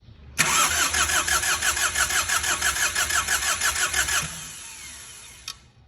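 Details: Diesel engine (4D56/D4BB/D4BH/2L/3L type) cranking steadily at about three compression beats a second for about four seconds without catching; hard start, fix proposed by advancing fuel pump one tooth.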